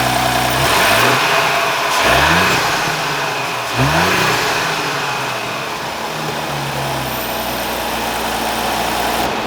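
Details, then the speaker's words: 2021 Audi S4 3.0 single-turbo V6 after replacing a failed rocker arm that ticked badly when revved: petrol engine blipped three times then settling to a smooth idle, no ticking. "Alright, so like you see, the noise is gone, car is happy again, customer hopefully happy too, because we just saved a ton of money from probably misdiagnosed stuff and whatnot all."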